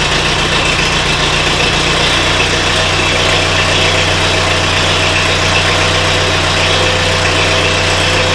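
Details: Mid-1970s International 2510B loader tractor, six-cylinder ~60 hp diesel, cold, after starter repair: steady, even diesel clatter at constant idle, no misses, knocks or surging; sounds healthy.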